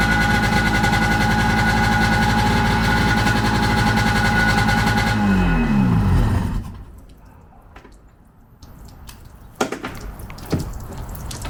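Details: 1995 Sea-Doo GTX two-stroke running on the flush water hose: raspy popping with sharp chuffing over the exhaust note, then shutdown; exhaust leak found between exhaust manifold and pipe, later fixed with new gaskets and RTV.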